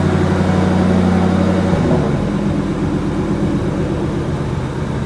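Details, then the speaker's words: 2004 Ford Mustang Mach 1 V8 revived after sitting under a tarp, steady low burble that dips briefly and settles at idle with no knocks, ticks or misses; no leaks, coolant lines dry; normal idle. "All right, it looks nice and dry. It's running good. Heck, yeah. Dude, it's running. It's sweet."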